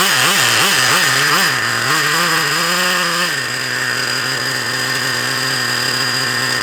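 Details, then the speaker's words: Traxxas Revo 3.3 nitro RC car engine, needles leaned out by its owner, leak around the low-speed needle: high buzzy note swings up and down for three seconds then holds a steady scream; surging revs. "not right that's definitely not right in it let's keep playing with it it's got a leak around that low speed needle"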